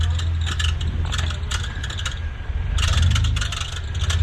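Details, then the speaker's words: Jeep on an offroad shakedown run after full hydro steering and new tires are installed. While climbing under load, the engine lugs low as irregular metallic clatters and scrapes cut in; the source of the rattle is unidentified. "What's that noise here? There's something going on."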